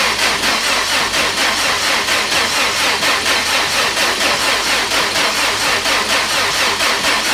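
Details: Subaru GC8 rally car with a replacement high-compression EJ20 and new TD04 turbo fitted after the old EJ blew, fresh start after priming: an even idle with a steady pulse about once a second and no knocks or rattles; normal.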